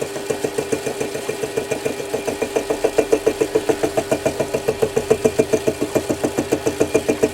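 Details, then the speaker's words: Lathe cutting a ball turning tool cutter around its bottom-corner radius: steady rhythmic buzzing pulses of about 3.5 a second with a ringing mid tone. It is fine if taken gently. Cutting chatter. "the rad comes into play in the bottom corner, you hear a bit of a chattering, because it's cutting all the way around the radius."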